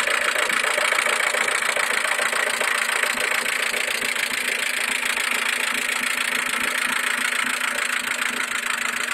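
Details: Mercedes A140 at idle: steady idle with a fast, fairly even light tick, roughly three to four per second, over the engine hum; unexplained ticking noise.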